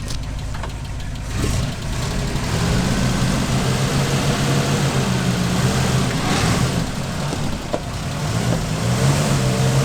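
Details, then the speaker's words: 1968 Chevy/GMC K20 2500 3/4-ton truck, sat over a decade; loud, uneven, lumpy idle with some revving, smoking and smelling of burning oil, alternator cracking in half, later noted rod knock and valve tick. Rough running, cause not confirmed. "all right let's see if this thing will move under its own power it doesn't sound healthy it definitely smells like it's burning a lot of oil"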